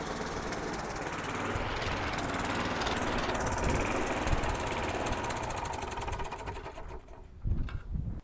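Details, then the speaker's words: Very old, poor-condition spares-or-repairs lawn mower, last of a job lot, started on choke and smoking: single-cylinder engine chugs loud and steady with an even beat, then eases off; runs well. "Now that mower runs sweet as a nut."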